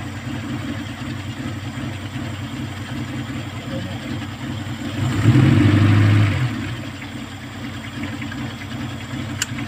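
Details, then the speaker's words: Kia Pride at idle before repair: uneven, stumbling beat with a brief swell; misfire from a number 4 high-tension wire that the current burnt through, due for replacement. "So subject for replacement itong High tension wire number 4 Yun lang naman yan so hindi ko na kailangan magbaklas ng spark plug malakas loob ko ito ang problema"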